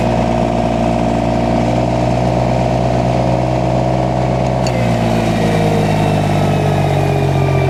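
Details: Derette XC1100 mini skid steer engine driving a heavy Rut Manufacturing Termite disc mulcher. Drone dips briefly as the disc engages, then pitch climbs as it spins up; normal loading, no fault.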